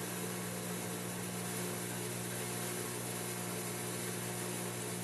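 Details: 8.5 kg Turbo Drum 3 washing machine on spin with cover removed: loud steady hum with rough uneven throb about three times a second; excessive out-of-balance vibration from worn drum spider, after shock absorbers checked.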